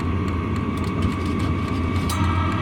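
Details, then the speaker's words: Vevor 5 kW diesel heater running with no muffler fitted: steady loud low roar with constant mid whine on top; much louder than with factory or aftermarket muffler. "That's without the muffler. And that's the aftermarket muffler, and that's a pretty substantial difference."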